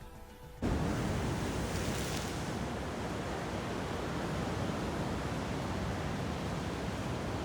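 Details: KitchenAid (Whirlpool-built) dryer that only hummed, started after repair and reassembly: kicks on after a brief quiet moment and settles into a steady, even rush of drum and blower noise with no knocks; sounds healthy.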